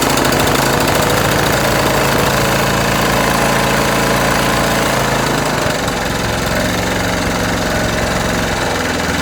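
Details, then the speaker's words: Sulky Suffolk Punch lawnmower, probably flooded after fuel and carburettor work and then revved hard: loud, rattly single-cylinder beat whose speed drifts and shifts; engine hunting at idle. "so you can hear it's hunting a bit there after i revved its nuts off which you're not supposed to do with these because that's not how they work"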